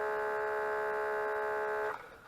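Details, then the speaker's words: Mitsubishi MS-11V VCR stored for years, rubber belts replaced as they had perished; on play, fast forward or rewind the head drum spins with a steady electric hum but the tape transport does not move, then it winds down. "now every action seems to affect the head it spins does what it wants"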